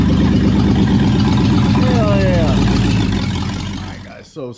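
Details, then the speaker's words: Brand-new V8 in a project car, freshly fired up, open stainless headers, no O2 sensors or exhaust: loud deep even burble, steady firing, no miss or knock, then shut off; normal idle. "No O2s, y'all. It's, yeah. It ain't gonna idle long, but Sweet."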